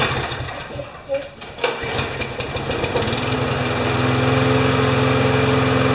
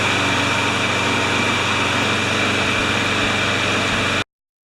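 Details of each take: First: Briggs & Stratton 6.5 hp flathead mower with primer bulb, no automatic choke, reported to start then stall; after being tipped on its side it fires, stumbles in uneven bursts, then steadies to a buzzing run; rough running, minor carb clean planned. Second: Briggs & Stratton 6.5 hp flathead mower engine with primer ball and no automatic choke, cold start after three primes; it had started then stalled. Runs smooth and steady with an even, busy drone, then cuts out cleanly, sounding healthy and properly fuelled.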